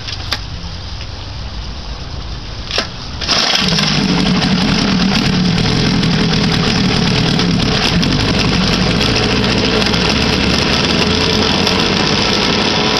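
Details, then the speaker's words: 1959 Kiekhaefer Mercury Mark 6A two-cylinder outboard in a water tank, unstarted for about three years and run on the same three-year-old gas, started on choke in neutral. A few quiet clicks, then it catches at about three seconds and settles to an even, steady idle; runs normally. "yes goddamn sounds like she wants to run even on old gas"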